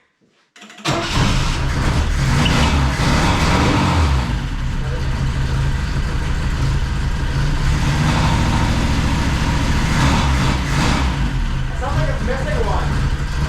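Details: Saab Sonett after flipping the distributor and regapping and cleaning the plugs, starts then settles into a rough, shaky loping idle with skipped firing pulses; one cylinder dropping out, owner suspects number one, not confirmed.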